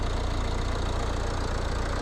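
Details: Nissan X-Trail 2.0 dCi diesel, 2007–2008 model, cold start: an even, low diesel clatter with a steady beat and no stray knocks or misses; a healthy cold idle.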